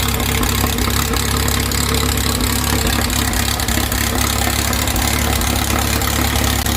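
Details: 2332cc "Dust Buggy" bug following a cold start and carb cleaning, with the mixture screws now set after earlier rough running and missing. Warm engine holds a steady, even, deep, smooth idle with no misses or surging: normal idle.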